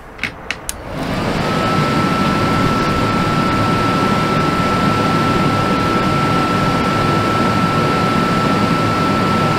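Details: RV propane furnace test-fired after reinstalling flue, following all-night LP leak detector alarm: a few quick ignition clicks, then blower spins up to a steady even rush with faint constant tone; furnace running normally, exhaust smells better.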